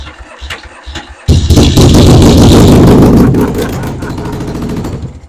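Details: Yamaha XS650 chopper, first start after a new wiring harness and freshly set points and ignition timing: cranks, then bursts into a loud, ragged run that quickly sags away. Owner suspects the timing is still way off.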